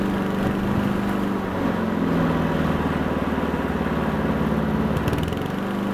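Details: Honda Harmony 215 mower engine, warm, after a third carb cleaning; the low-end idle mixture screw broke and could not be cleaned. Steady single-cylinder putter at even speed with a brief sag near the end, then recovers; normal running.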